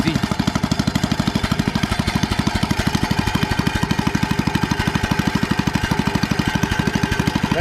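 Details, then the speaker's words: Troy-Bilt tiller cultivator, lacking power and missing at idle: heavy chugging about three beats per second with uneven, missing exhaust puffs; misfire, suspected fuel starvation from the carburetor, not confirmed. "yeah yeah that's acting like it just ain't getting enough fuel that's what it's acting like"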